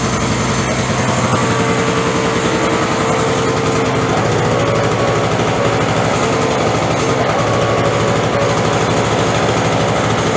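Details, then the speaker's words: Curbside-rescued Craftsman 5.0 hp two-stroke snowblower after cold recoil start with choke and priming: fast, crisp, even buzz at steady speed without stumbling; starts and runs cleanly. "All right, she starts great."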